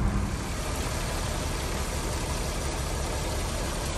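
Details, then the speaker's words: 2001 Audi A6 2.7T at almost 228,000 miles, overheating with milky oil, crankcase smoke and coolant leak, suspected head gasket failure: uneven stumbling idle with a steady dead miss, no misfire code set yet. "so I don't know if you can hear that it's definitely got a dead Miss at idle here"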